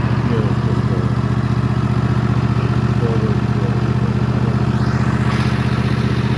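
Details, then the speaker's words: Husqvarna TS148XK lawn tractor, new June 2024, fuel treated with additive, throttle set just below fast: steady, even hum at constant high revs with no misses, knocks or wavering; engine healthy. "it's fueled up and I'll set the throttle not quite to fast start and so you can hear what it sounds like Full Throttle"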